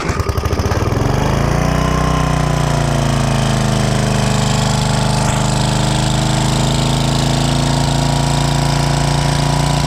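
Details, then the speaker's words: 1995 Briggs & Stratton 8 hp generator engine, long stored, just after carburettor cleaning, started on choke and smoking from oil added while cleaning: it catches, hunts and surges unevenly, then steadies. Surging blamed on the freshly cleaned, dry carburettor. "it started surging because we just cleaned the carburetor so it was Plumb"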